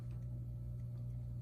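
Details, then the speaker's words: Rowe AMI 100-G Starlight Laserstar CD jukebox with its amplifier reinstalled: a loud, steady mains hum at about 120 Hz. The owner suspects old, leaking filter capacitors, or one of the lights humming. "humming like crazy in here I got to see what that is but it's humming at about 120 hertz so I think that's pretty telling what the actual problem is"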